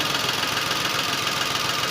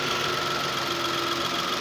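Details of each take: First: Datsun Go 3-cylinder engine misfiring at idle, tested by unplugging each coil connector: lumpy idle with uneven tick and stumble three or four times a second; one cylinder is dead and not firing. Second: Datsun Go idling after replacing the faulty No. 3 ignition coil that caused misfiring: steady even hum, faint whine, no misses or jerking; engine runs smoothly.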